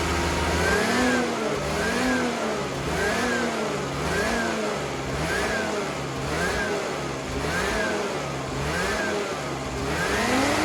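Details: Ski-Doo Rev-chassis two-stroke snowmobile after fresh fuel with XPS Carbon Free additive and new oil: blips up and settles in steady rhythm about once per second, crisp, no misfire; normal revving.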